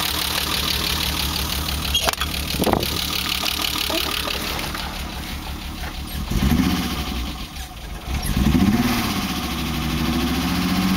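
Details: BMW E30 with M20B25 six-cylinder, with newly installed injectors and chip/ECU. Uneven idle with a wavering, lumpy beat, speed dipping and swelling. Rough idle, cause not yet found.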